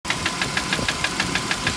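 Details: 1998 BMW 540i E39 petrol V8 running with a light sharp tick about six or seven times a second; timing chain tensioner already replaced with no change, source unknown.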